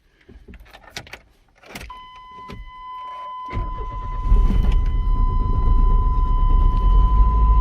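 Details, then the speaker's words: Truck sat over five years, after fuel pump and strainer replacement and three gallons of fresh premium fuel; cranks, catches, then runs with a lumpy uneven rumble and steady whine; needs a tune-up. "it's alive it's not happy but it's alive"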